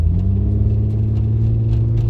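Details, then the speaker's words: 2001 Mitsubishi Eclipse on a test drive after sensor replacement, temperature gauge at mid, past coolant-leak overheating: smooth, even low rumble under light acceleration with no stumbles or skips; engine running cleanly, no misfires. "yeah, the engine's running nice and smooth, no misfires."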